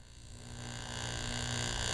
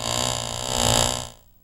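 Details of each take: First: Driveline demonstration model driven by a constant-speed electric motor with exaggerated shaft angles, yokes realigned parallel so they are in phase. Steady, even hum at constant pitch with no throb; smooth, vibration-free rotation. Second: Exaggerated-angle driveline model with constant-speed electric motor, card held to second-shaft sprocket: buzz rises and falls in pitch twice per turn, shaft speed varies because yokes are 90° out of phase, causing vibration at high rpm.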